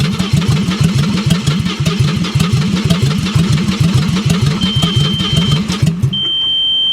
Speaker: man i hate to give up on it because uh it actually fired right up and it ran pretty decent for a minute as soon as i went to put it in gear it died